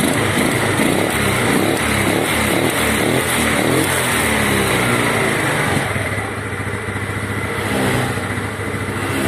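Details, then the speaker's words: Yamaha Mio Sporty carbureted scooter after fixing coughing and backfiring near vacuum area with unstable idle: idle now steady, engine picks up briskly when revved and drops back evenly, no coughing, popping or hesitation. "Bisa dengarkan sendiri untuk stasionernya sudah tidak naik turun lagi sudah bisa langsam dan sudah tidak batuk-batuk lagi kita gas dulu ya"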